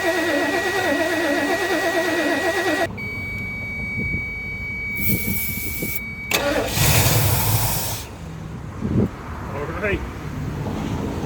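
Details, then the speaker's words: 1977 Lincoln Mark V 460 V8, abandoned project, fuel feed disconnected, starter triggered from under hood: engine catches on fuel poured into carburetor bowls, runs roughly then fades; starts on prime only. "Alive. Dryer again. That's a win. That old 460 sounds really good."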